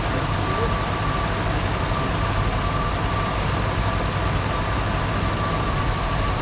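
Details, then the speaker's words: 1974 Ford Bronco (automatic), first start in over 16 years after fuel system and carb work, plugs and wires, with fresh oil: a steady, even low idle with no knocks, and oil pressure comes up immediately. "Pretty dang good. Sounds like we immediately picked up oil pressure."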